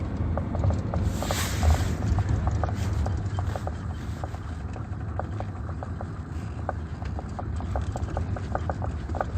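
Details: Volkswagen T4 with AJT 2.5 diesel; sharp, light ticks about two to three per second over a low, steady idle; engine knock of unclear source, owner suspected the engine mounts and ended up replacing a mount.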